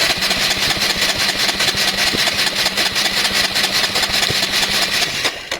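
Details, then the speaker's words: Honda Varadero 125 first start attempt: steady starter cranking at about two and a half turns per second, never fires; plug shows no spark, cause unknown, possibly wiring, stator, regulator, plug lead or plug. "definitely not sparking all right cool so not sparking means no not necessarily spark plug but um wiring to the it could be wiring from the state"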